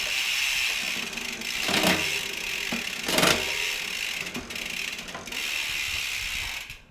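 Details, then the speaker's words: Shimano Deore M6100 12-speed with 10-51t cassette on Trifox bike, newly installed: ticking and ratcheting with clunky uneven shift bursts; rough shifting from too little B-tension, fixed by adding more B-tension. "Not quite ideal. I'm gonna add just a little more B tension back in."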